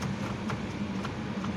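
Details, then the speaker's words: Chevrolet Opala Diplomata 250-S six-cylinder door: soft repeated clicks about twice a second as the power door lock actuator fires on its own when its loose ground screw is moved; fixed by tightening the ground. "você vai mexendo no parafuso e ele vai querendo armar tá vendo ó não vou apertar ele aqui o problema é só aperto"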